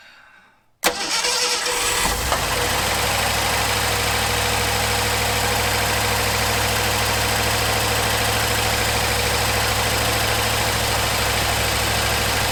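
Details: 1974 Ford F100 4x4 V8, long parked, restarted after some wiring was rigged up: fires on first crank and settles into smooth, steady idle with no knocks or misses.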